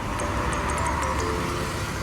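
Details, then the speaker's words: Ford New Fiesta HVAC mode-door actuator behind dash switching from chest vents to feet: faint rapid ticking and clicking as it turns; broken internal gear slipping, chronic defect. "então quando ele quebra engrenagem dentro fica dando esse barulho que incomoda muito tanto o motorista eo passageiro"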